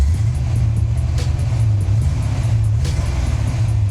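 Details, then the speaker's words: Coupe V8 while driving: deep rumble with uneven loping beat, a dead miss with one cylinder down; owner suspects a fouled spark plug, not a head gasket. "I'm talking about a dead Miss maybe it's not a head gasket or something like that but it definitely got a dead Miss so we got a cylinder down"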